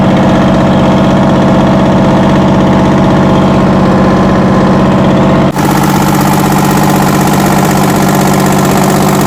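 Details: 60-year-old US-imported Massey Ferguson 98 tractor with factory Detroit Diesel GM 3-71 two-stroke, after significant restoration: even drone with steady beat near four per second and small speed change midway; normal running.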